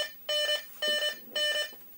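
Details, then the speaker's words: Midway Space Encounters (1980) arcade game on a test harness with newly wired sound board, game restarted out of test mode: three identical bright tone bursts about half a second apart, clean and clear; the timer-end sound works. "that's the timer ending so that works"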